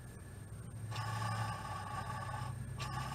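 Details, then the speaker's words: 1978 Toyota pickup/Hilux clutch throwout bearing, spun by hand with transmission out: rough scraping whir with ringing tone that swells and fades each spin; worn throwout bearing. "Wow do you hear that they throw a bearing is for crap"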